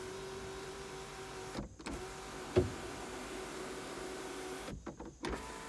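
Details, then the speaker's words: 2003 Hyundai Sonata 2.7 V6, 187,952 on the clock, engine not running due to broken timing belt: sunroof opening and closing gives two short, smooth motor runs with a soft click between, no grinding or straining; sunroof works normally. "to test out the sunroof for you real quick and then we'll call it a day so open it"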